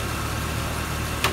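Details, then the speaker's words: 1999 Jeep Cherokee idling about an hour and 10 minutes without a miss or stall: steady, smooth low rumble, one brief click near the end; normal idle. "we've been having this vehicle on for almost an hour hour and 10 minutes and it has a mess at all has a shutoff"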